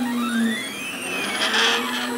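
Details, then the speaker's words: Fast homemade 3D printer fitted with cheap LM8UU linear ball bearings in place of IGUS drylin bushings, still breaking in. Gliding motor tones with a gritty, hissing buzz from bearing vibration. "hear that vibration that's in the barings"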